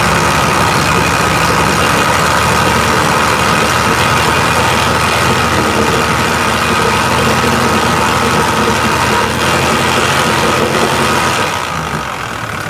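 Steady idle with a light, quick ticking riding over it, roughly four per second, evenly spaced; source of the click not pinned down.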